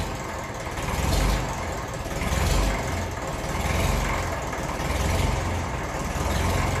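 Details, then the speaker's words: 1954 Ferguson 20 TEF diesel tractor on a cold start after glow-plug heating, battery of uncertain health; low diesel clatter at idle with revs gently rising and falling, fairly normal when cold: normal cold diesel idle. "little bit up and down. I don't mind once it settles, that's fairly normal when it's cold."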